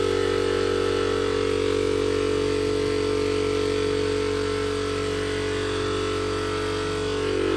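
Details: DIY 12V compressor on an old ~40-litre tank from recycled parts, running off a homemade battery power wall at about 12.4 V (~half kWh): fast even chugging about four strokes a second over steady motor hum, no knocks or stumbles; normal running.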